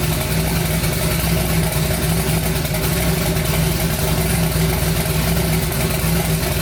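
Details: Twin-turbo 5.3 V8 in a New Edge Mustang, first start of new build after wiring finished, battery on charger: deep, steady, evenly lumpy idle with no knocking or stumbling; runs fine.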